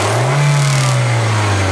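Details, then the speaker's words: Reference car with an exhaust system in perfect condition, used for comparison against a 2010 Hyundai Accent with code P0420: a strong, even exhaust note held at high revs, then easing off smoothly with no rattles or popping. "este es un vehículo que tiene que estar en perfecto estado"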